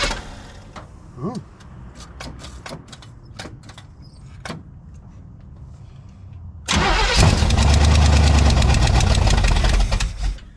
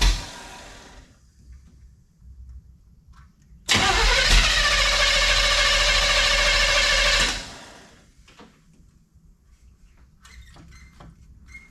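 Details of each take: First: 1971 Chevelle wagon cold start at 47F after sitting 3-4 weeks, gas pumped on the carb: brief crank, loud rough catch, settles toward lumpy idle; it smokes, unattached passenger valve cover leaking oil. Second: 1971 Chevelle wagon, sat 3-4 weeks, cool 47°F day, brief run to check newly fitted alternator and water pump bolt clearance: cranks, catches, runs evenly a few seconds then shut off; no whine, squeal or grinding; normal running.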